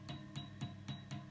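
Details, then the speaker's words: Vox AC30HW hand-wired amp, EL84 power tubes tapped: each tap rings out as a sharp bell-like tone about four per second over low hum; microphonic EL84 tube, only one of six good. "isn't that annoying so imagine you play a [ __ ] g note every time every [ __ ] time this one little noise"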